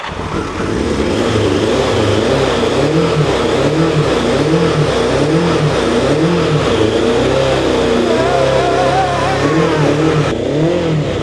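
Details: 40-year-old turbo Yamaha motorcycle, first start after compression, spark, air and fuel checks: engine catches and revs unevenly, surging and sagging with a ragged, lumpy beat, running rough and smoking from oil in the pipes before it dies.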